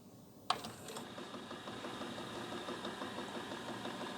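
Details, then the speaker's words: Nakamichi LX-3 cassette deck, unused from storage, heads cleaned, playing a tape with a fast steady mechanical knocking clatter under playback; cause unknown. "you see this knocking noise I hope you can hear [Music] that"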